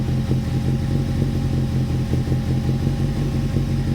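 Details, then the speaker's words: Toyota TA22 Celica 4AGE that old fuel had left running on two or three cylinders, started after the fuel rail and injectors were refitted. Uneven, stumbling idle with one cylinder dropping out: a bad misfire, not running on all four. "okay so we definitely don't have four got a bad miss checking for all the leaks"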